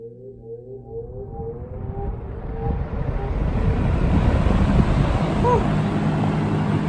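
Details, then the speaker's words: Early-1970s Electrohome 652-1 20-inch two-speed box fan, restored, startup recorded up close: airflow whoosh builds smoothly over several seconds with faint metallic ringing from the metal blades. Normal, healthy start-up. "nice and those beautiful metal blades and here's the startup sound up close"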